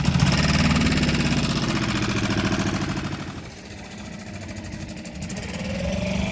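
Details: 6.5 hp Hangkai 4-stroke outboard after replacing its flooding carburetor with a modified Yamaha 6 hp carburetor, on the water: a steady even beat of about 220 a minute that eases and returns with throttle. Runs clean and healthy.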